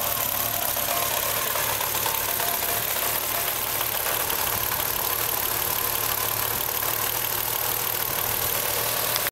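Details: BMW M3 E36 3.0 petrol six shaking hard with low, rough idle after instrument cluster swap; no error codes. Fixed: new cluster didn't pass differential speed signal to ECU, spoiling fuel tables.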